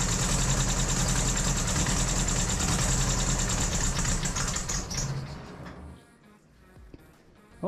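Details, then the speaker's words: 1968 Datsun 2000 Roadster, first startup after troubleshooting, cleaning and distributor refitting, runs smoothly and evenly with no knocking or ticking before shutoff; engine seems healthy. "we know that it's somewhat healthy I don't really I didn't hear any knocking or weird ticking"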